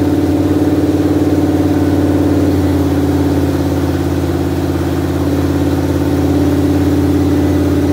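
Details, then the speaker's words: 1973 Dodge Dart with a newly wired HEI module, first start in many years: steady, even idle with a smooth low rumble and constant pitch, no knocks or misses; normal idle. "I mean obviously you heard the engine run it ran really great"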